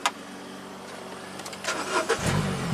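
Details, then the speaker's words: Mini Cooper with a crank, no-start from no spark, tested once power reached the ignition coils. Short quiet cranking, then it catches cleanly and settles into a smooth, steady idle: normal start. "It does start and run."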